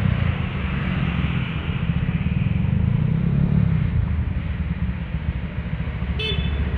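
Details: Honda Vario 125 scooter with KZR/KJR SPC 59 engine work, on a road test under load with ECU mapping unchanged after curing high-compression pinging (ngelitik): a steady even drone with road rumble and no pinging or rattle; pinging is gone and power pulls well.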